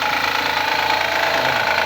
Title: 2014 HONDA ACCORD V6/Engine Knocking Sound at Cold Start/Cause and Remedy(Part 2)